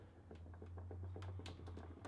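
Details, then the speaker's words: Suzuki Bandit motorcycle gearbox stripped for whining: uneven gritty clicking as output shaft bearing is turned by hand, rough with some play and needing replacement; main whine cause is pitted, grooved input shaft cog. "So the first problem is the bearing on the output shaft. It's really rough, doesn't sound like all that, and"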